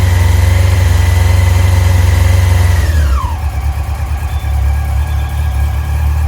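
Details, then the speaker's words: Carbureted Yamaha R6, warm, choke just turned off: revs drop smoothly to a steady, even warm idle with no hunting or misfire, running sweeter than before; still bogs in mid-revs, owner suspects carburettors need balancing. "So yeah, compared to how she was running before, she's running pretty sweet, to be honest."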